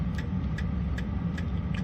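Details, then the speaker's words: Chinese 5 kW diesel air heater with upgraded exhaust, powered by a VTOMAN Jump 1000, just firing up with the fan speeding up; low even combustion rumble with a soft fuel pump tick two to three times a second; normal running. "Fan's firing up. This will get a bit faster soon. It's looking good so far, guys."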